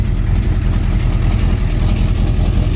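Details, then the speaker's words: 1966 Plymouth Fury III 5.9L carbureted V8 with a new Carter P4594 electric fuel pump at about 6.5 psi: deep, steady idle with no pump whine or buzz audible, exhaust leaks present; normal idle with a quiet fuel pump. "quiet as you please"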